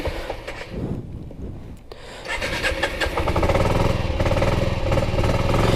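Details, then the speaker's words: 1984 Yamaha Riva 180 scooter after carb cleaning and reassembly: engine catches after a few seconds, then a lumpy, unsteady putter that never finds a clean idle; cause unknown, valves are self-adjusting hydraulic. "Yeah, the idle is not exactly right on this."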